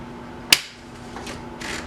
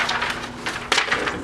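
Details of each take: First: 1983 Sears (Brother) Correct-O-Ball golf-ball electric typewriter typing sample after startup: quiet steady motor hum with crisp, evenly spaced strikes about every half second; runs quietly and healthy. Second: 1983 Sears (Brother) Correct-O-Ball golf-ball electric typewriter on startup: brief scratchy rattling bursts with one sharper clatter, then quiet; owner suspects drive shaft and motor aligning plus slightly worn bushings, unconfirmed.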